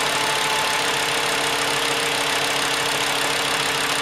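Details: VW Jetta 2.5 after replacing all fuel injectors (suspected cylinder 2 misfire under acceleration): starts and settles to a steady, even idle with constant tone, no misses or knocks over hiss; normal.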